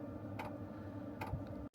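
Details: Sherp ATV Webasto diesel heater drawing fuel from the diesel tank: soft single ticks about every 0.8 seconds in a quiet room; heater fuel pump metering diesel normally.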